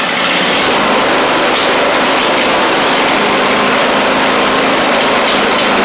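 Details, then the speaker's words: Husqvarna YTH24V48 riding mower engine after a quick-and-dirty carburetor refit, heavy smoke; loud, busy roar with an uneven ragged edge, still running rough, only slightly improved; fueling remains suspect, stator to be replaced next. "Y'all, it's a smoke show, but I do want to show you that did help it a little bit."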